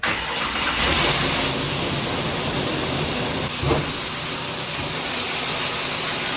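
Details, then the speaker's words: 2008 Ford Explorer 4.0 L SOHC V6 running with a harsh, fast metallic timing chain rattle. A broken timing chain tensioner arm/guide is flopping and beating on the chain, a year after an engine swap for a bad timing chain. The valve cover is cracked and leaking oil. "she started up the engine and started rattling really bad she was able to make it home but the sound that the engine makes it's pretty bad"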